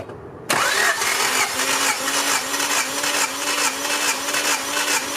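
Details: Warm 1990 Honda Civic Si cranking during a four-cylinder compression test: even, steady starter churn with regular, equal compression pulses and no stumbles; readings around 160–162 psi, 150 on cylinder 2, so compression is healthy.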